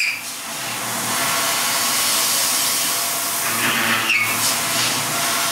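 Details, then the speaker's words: Milling T-800 endoskeleton arm wrist plate, countersinking holes for the forearm connection: steady hissing cut with a thin high squeak rising briefly near the end; squeal likely from feeds and speeds being off. "now I'm going to countersink those holes to connect to the forearm the feeds and speeds might be off a bit you hear the squeak"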